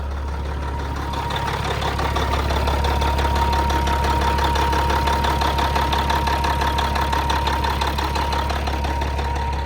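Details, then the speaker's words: Old truck with a mechanical Cat 3406 diesel, lots of miles, at idle: even, steady clatter of about three beats a second with a firm low rumble and no misses; it idles healthy. "That old cat sounds good though, doesn't it?"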